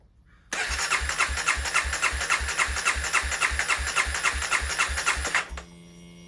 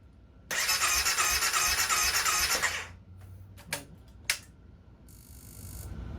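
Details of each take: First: 2016 CBR300R with 1133 miles, parked 7 years, started during a coolant top-up: it fires straight up twice and settles into a crisp, even idle with steady pulses each time; a healthy start, with the battery charging at 15.6 V. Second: 2016 CBR300R with 1133 miles, parked 7 years with a near-empty tank, on fresh gas with additive and a jump pack: the starter spins in a quick, even churn with no catch and no fuel pump prime heard.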